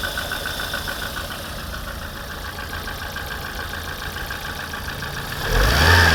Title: Посторонний стук в моторе 21126...